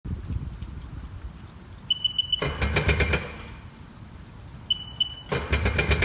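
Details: 2005 Sea-Doo RXT after engine rebuild (bearings, sprocket, chain); cranking bursts with warning beeps and uneven backfire-like popping, no start, no codes; timing checked, spark, fuel, 160 psi compression all cylinders. Finding: crank no start with popping.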